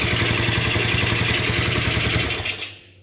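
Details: Motorcycle that died after getting wet, test-run after refitting the spark plug, using a used but still normal coil; crisp, rapid, even firing before shutting off, ignition firing properly; the original coil was later found to spark weakly.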